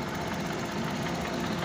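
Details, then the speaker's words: 2020 Suzuki DA63T truck with strong engine vibration: uneven, shaky idle with a rough stumbling beat; misfire. "nanginginig o nanginginig sobrang nginig mga boss at Ah yun ang concern na mayari"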